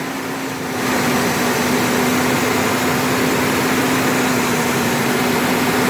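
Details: 1998 Ford Ranger, first start after a fuel pump replacement, tested before the bed goes back on: it starts readily, gives a brief throttle blip, then a smooth, steady idle with no knocks or misses.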